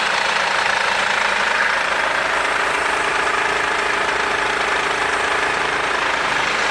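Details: Mercedes W204 engine after timing chain replacement. Smooth, even idle with steady hum and no knocks, rattles or chain slap; normal idle.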